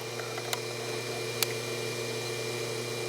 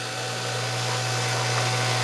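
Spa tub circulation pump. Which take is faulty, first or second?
second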